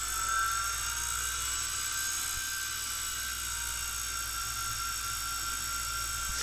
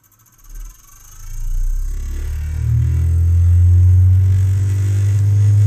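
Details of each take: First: Brüel & Kjær WA 0155 balancing demo unit with new belt, motor running at adjustable set speed: steady high whine, rock steady because it is feedback-regulated; MM0012 probe working. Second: Brüel & Kjær WA 0155 balancing demo unit, which has no overspeed protection, drawing 70 W: a deep hum climbs over two seconds into a heavy throbbing drone. The motor is overspeeding with its rotor badly out of balance from the balancing screws.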